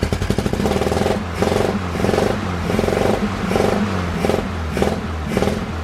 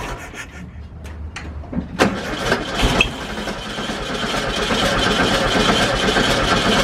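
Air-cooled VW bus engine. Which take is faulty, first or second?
second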